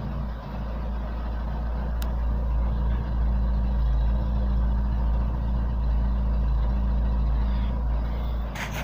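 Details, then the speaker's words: After a DIY crankshaft keyway repair for lack of power: deep steady low hum at idle; the drone comes from the exhaust pipe, not the engine. "Этот гул стоит, это у меня труба выхлопная, не Алеша."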